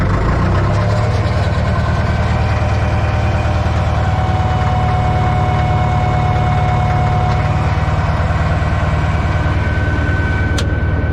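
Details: Old Caterpillar 955L track loader, long unused, after topping up transmission and another reservoir, possibly the final drive, put in first and driven: deep, even diesel rumble at steady speed, no knocks or misses.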